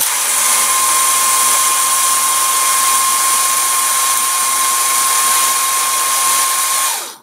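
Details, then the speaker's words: Banebot gearmotor run directly from the battery terminals after greasing. A smooth, steady high-pitched whir with one constant tone, no clicking, then a clean spin-down: normal running gearmotor. "normalement on devrait avoir un moteur qui tourne et en bravant le son qui elle pas trop déplaisant"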